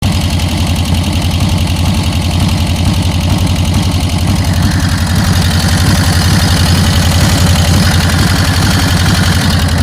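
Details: 1999 Harley-Davidson Dyna Wide Glide V-twin at idle, customer clip before teardown: heavy, loud, fast pounding knock on every beat, deep and harsh; blown-out bottom end bearing failure.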